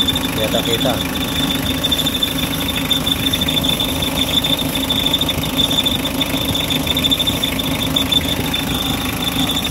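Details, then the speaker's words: Mitsubishi L300 diesel at idle after a not-charging fault was fixed, now charging 13 volts: steady high-pitched squeal that never lets up, from the loose air-con belt slipping; the belt squeal is the next thing to fix. "Ngayon, natatanggalin na naman natin ngayon yung ingay ng belt. So, maluwag yung belt doon sa may aircon."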